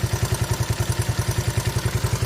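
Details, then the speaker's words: 41-year-old imported Honda XL125S single-cylinder idling after the cam chain noise was fixed; even thump about nine beats a second with only the normal soft whir, no chain rattle. "Yeah, no cam noise at all on it now. It's like the whirring as you normally get."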